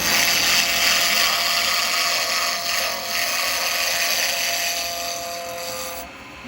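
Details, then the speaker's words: Acrylic pen blank on a wood lathe cut with a 12mm round carbide chisel after roughing down from square: even steady cutting hiss over lathe hum with no knocking; blank running round, tool cutting cleanly. "so that's what we want him to get to as we're taking it down from Square obviously we get that noise but what you're wanting to get to is that where there's no noise that's what you're after"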